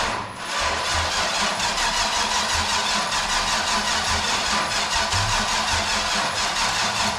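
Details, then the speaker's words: Big-block 454 V8 in a Jap-rod, first start on temporary fuel pump and ignition, started by jumping the starter wire: catches and runs loud and lumpy but steady, deep even beat under heavy exhaust roar; running fine. "let's fire it up huh you ready need a crank up or damn that was loud I wasn't ready for that"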